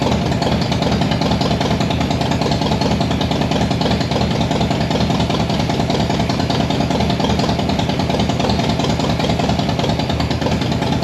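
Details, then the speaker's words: Harley Softail V-twin idling just after pushrod work: faint quick tick over the lope; owner notes top-end noise may persist up to 20-plus miles after pushrod adjustment, cause not confirmed. "I feel like I can still hear it slightly. Um, however, since I just did the push rod, you know, they say that up to like 20 plus miles afterwards, you may get a little top end noise."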